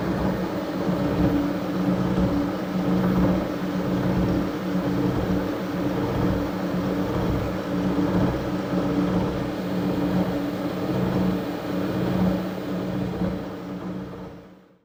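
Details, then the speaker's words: Harrison universal milling machine after servicing, cutting 12 mm wide, 1 mm deep, spindle raised from about 45 toward 65 RPM: steady even hum, soft low whir, no knocks or grinding before winding down; quiet normal milling. "you can hear how quiet that machine is now I've just sped the spindle up a little bit it was probably only about 45 RPM and I was aiming for 65."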